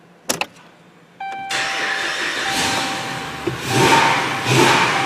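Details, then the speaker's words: 2010 Dodge Ram 2500 Hemi V8 after installing a used ECM: key clicks and chime, then it fires up and idles evenly, no longer skipping, confirming the ECM diagnosis. "Ooh, alright. So we've made improvement. We no longer hear it skipping, so we know we made the right call."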